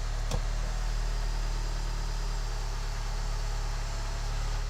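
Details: VW TDI with DSG at about 192k miles, first start after replacing a noisy, knocking dual mass flywheel, tensioner and alternator pulley: smooth, even low idle with no clanging or rattle from the bellhousing; flywheel sounds healthy.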